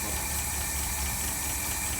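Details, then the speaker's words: V8 idling after a rebuild of its Holley 1273-1 carburetor, following a cold start: a steady, even low burble with no misses or stumbles. Some other minor noises remain, but it idled smoothly through a parade. Normal idle. "You can hear a little bit of stuff going on, but the carb, she is done and running great. And we just had it in a parade, and it's idled smoothly all the way."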